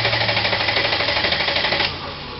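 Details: 1998 Mercedes ML320: steady fast cranking for about two seconds that never catches, with no spark.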